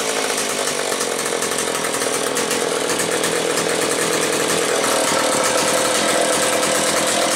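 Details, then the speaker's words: Kent's McCulloch Pro 10-10 two-stroke chainsaw runs steady and strong with plenty of compression after fixing a leaking oil pump gasket vacuum leak and bad cylinder; no misfires or hunting. "This engine that's on here has plenty of compression. So, let's have a listen."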